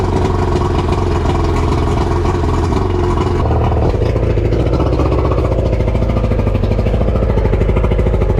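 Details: Outboard on a used boat bought in Miami, started after the fuel filter was separated, the engine reassembled and fuel primed with the bulb: it fires, settles into a steady low drone, then picks up a faster pulse, running on its own without stumbling.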